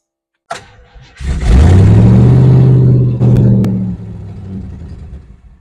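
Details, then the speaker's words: Ford 289 V8 in a Country Sedan wagon, with the idle screw turned all the way down. It catches, holds briefly with a little throttle, then sags and dies when the throttle is released; it won't idle on its own, and the cause is unconfirmed. "it's the darnest thing if I if I tickle the throttle just a little it'll stay running just a little but as soon as I let off of it it dies"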